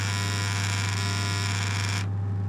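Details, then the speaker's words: Old cedar timber spa cabinet: loud steady pump motor hum with rattling buzz as cabinet panels and vent vibrate, caused by the aged motor's worn bearings shaking; wood shims wedged between panels to stop it. "this one here as you can see there's little bits of wood shoved in here as different panels are vibrating and now at this vent have a look you can tell it's definitely vibrating here"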